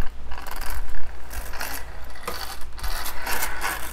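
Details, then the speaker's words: Redcat Blackout XTE Pro 1/10 brushless electric monster truck after several jumps, drivetrain turned by hand: uneven scraping and ratcheting; front and rear differential gears bind, owner suspects shims need adding or removing. "it's got some issues after I jumped it a few times and now it seems like the front and rear gears on it kind of bind up a little bit and if you can kind of hear that or not"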